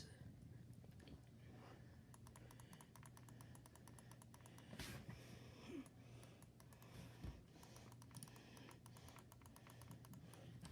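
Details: Logitech G502 Hero mouse side buttons beside the left click, used for sensitivity (DPI) steps: quiet, crisp clicks in quick runs over a faint room hum, clean and even; normal mouse button clicks.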